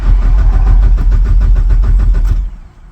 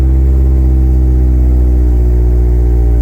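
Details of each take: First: Mazdaspeed 6 that started and died, then sputtered and struggled to start; relay checked and swapped with no change: no fuel pump priming is heard, and the starter churns steadily at about three and a half beats a second but it never fires. Owner suspects the stock fuel pump has failed, before a DeatschWerks 65 replacement. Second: Mazdaspeed 6 started after installing a Deatschwerks 65 fuel pump, pump primed first: deep steady engine hum with even, unbroken rhythm, no knocks or misses; engine running smoothly.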